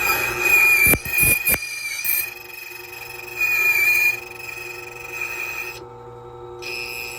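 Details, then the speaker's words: Silca Speed 045 key machine cutting a Ford key blank: high steady motor whine with bursts of rasping as the cutter bites, pitch even; normal. "And listen for the buzz. There we go. One extra click. And one extra click based on the noise."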